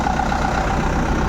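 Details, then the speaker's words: Four-cylinder engine after a complete overhaul: failed from air filter dust, worn crankshaft ground to 10 size, radiator filled. Morning start gives a smooth, even diesel idle with no knocks or misses. Normal idle. "Morning start చేసాం. Engine sound ఎలా వస్తుందో చూస్తున్నారు. చూశారు కదా engine sound ఎంత ముచ్చటగా ఉందో."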